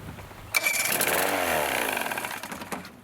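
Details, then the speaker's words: Vintage Evinrude/Johnson 35hp two-cylinder outboard with good spark but bad gas in carburetor, started on starter fluid: quick crank, a short high buzzing burst for about a second and a half, then fades and stalls. "Now, I suspect that when I hit the key, it's going to turn over and run for just a second on the starter fluid. And then my experience is then it will die."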